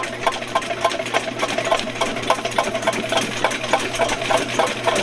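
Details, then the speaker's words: VEVOR 75 ft x 1/2 in auto-feed drain machine held in neutral as the spinning cutter works a sewer blockage until it frees: sharp ticking clatter about three a second over a steady motor hum. "so I got a little bit of a blockage right there so I'm going to sit here at neutral and I'm going to let that cutter work at whatever's going on until I feel it free and up"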